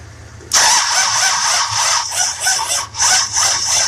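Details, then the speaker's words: 1966 Buick Riviera GS 425 Nailhead with HEI distributor, crank no start: starter turns the engine slowly, labored and unevenly, never catching; spark present but inconsistent, slow cranking suspected as part of the problem. "the spark is there it's really inconsistent i want to say part of the problem that it's not turning fast enough but we'll see"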